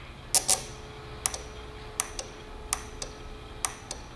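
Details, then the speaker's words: Automotive air-conditioning compressor magnetic-clutch relay bench-tested on a car battery at 12 V: crisp paired clicks, pull-in then release, about every second as the coil energizes, though a clicking relay may still be bad. "hear that that's a nice click"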